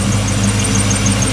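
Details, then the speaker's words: 1995 Ford Mustang GT (Cobra) after a new pulley, plugs and wires: even idle with a faint high chirp several times a second as the belt slips, caused by grease that got on it during the work; expected to go away. "oh we got a little grease on the belt when we were fighting so it'll go away a little bit new pulley"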